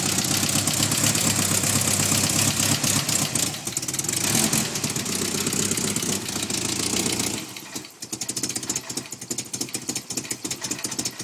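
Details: 1990 Nissan 240SX with the KA24E engine, started up and revved. It stumbles with an uneven beat and settles into a lumpy idle. A constant misfire, cause not yet found.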